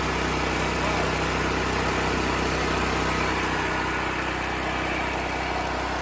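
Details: Off-grid generator running on liquid propane, powering a well pump pushing water over 1,000 ft uphill: even, steady engine drone at about four pulses a second with no misses or knocks; running smoothly under pump load.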